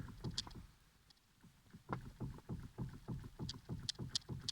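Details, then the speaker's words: Mazda 6 GG/GY: quiet, uneven dull clunks about three a second from low under the front; owner suspects the steering rack, unconfirmed. "стук такой знатный в общем кто знает подскажите пожалуйста"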